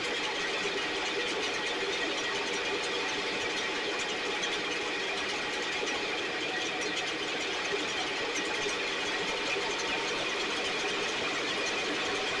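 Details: STIHL 6R 450 two-stroke backpack blower after cleaning and repair (idle had fluctuated and could not be adjusted): high, steady buzzing roar at even pitch with no surging or bogging, running much better though still loading up slightly, with carbon buildup suspected.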